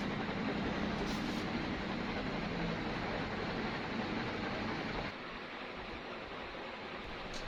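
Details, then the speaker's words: Newly installed Sanex FC56 ceiling fan stepping up to speed 3, strong airflow. A steady, even rush of air with a soft hum and no ticking or wobble; the sound is likened to a helicopter; runs normally. "Wah, anginnya seger nih, mantap. Yang ini speed 3. Kenceng banget ya ini. Suaranya juga kayak suara helikopter gitu."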